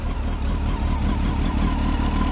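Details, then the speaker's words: Motorcycle, just out of storage, stone cold on the temperature gauge: starts straight away, revs rise, then settles into a smooth, even fast idle with no misses or mechanical noise; normal cold start. "Starts straight away, and it's fucking. So you'll hear the revs rise in a minute."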